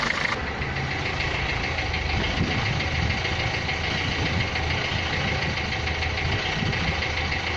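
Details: Renault Clio 3 1.5 dCi 105 hp diesel at idle: hard, rattly clatter through the steady tick; engine noise attributed to a noisy injector.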